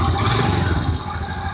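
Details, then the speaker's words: Royal Enfield Himalayan, three years old, 22,200 km, just washed, chain lubed, engine silicone-sprayed: short burst of steady single-cylinder thump, even with no rattle or misfire; normal running. "So we've had the car for three years and this is the current condition of the car. I'll also let you hear the sound."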